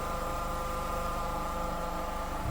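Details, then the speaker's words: Nissan Rogue CVT, warm after standing several hours: steady even hum with faint whine over the idling engine, plus harsh jumps when engaging Drive or Reverse; past codes including P17F1, gearbox already repaired twice. "такий як в принципі не повинно бути якщо дійсно нормальна коробка"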